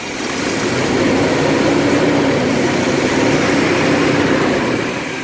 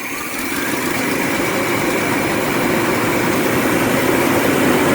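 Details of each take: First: Vintage LH2 RV V8 idling after vacuum advance and timing were readjusted: a steady, even idle with a soft regular pulse, no longer cutting out or shaking. The owner thinks timing may have been the issue. The idle is now smooth. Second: Vintage LH2 RV V8 at low idle: a slightly uneven idle with an irregular pulse and no clear knock. The owner suspects an ignition fault. The rough idle's cause is unconfirmed.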